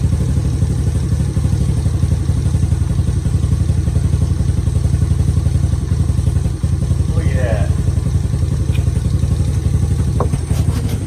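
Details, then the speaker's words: Honda Fatcat single-cylinder, first start after a year, carb cleaned with sticking float fixed, fresh gas and new plug, still cold. Steady, fast, even idle that never drops; idle speed set too high before adjustment. "Look at that. Needs some work, but needs some love. Idle's too high. Working the wrench. Idle's too high."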